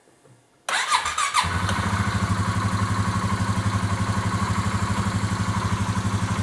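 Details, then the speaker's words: 2018 Polaris Sportsman ACE 570 single-cylinder, after new timing chain and tensioner (tensioner not yet oiled), no coolant yet: quick crank, even idle around four beats a second, no startup clank, much quieter; runs clean. "sounded good didn't make the noise and it sounds a lot quieter I think it's running pretty good that's pretty good"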